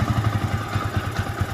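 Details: Yamaha Vixion motorcycle engine rebuilt from scratch: uneven idle thumping about ten times a second with irregular gaps; rough running, later addressed by replacing the balancer bearing, crankshaft bearings judged fine.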